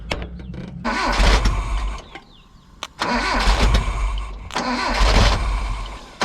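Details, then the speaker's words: Nissan D21 Hardbody with a swapped KA engine, new fuel lines and filter: cranks in short bursts with one cylinder catching, never picks up; distributor signal to the computer was unhooked. "i actually found that the distributor signal back to the computer wasn't hooked up so that's why i would fire one cylinder then not catch th"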